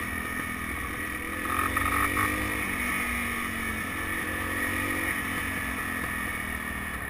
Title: BW200 Rattling Sound